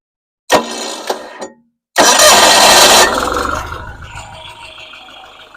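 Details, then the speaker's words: Roughly 50-year-old Onan generator in a vintage GMC motorhome, started while the points are adjusted: a couple of short cranks, then it fires and settles into the light popping two-cylinder note; normal running. "Let it run a little bit. Turn the points until it starts to miss and bring it back down. You'll hear when it runs real nice."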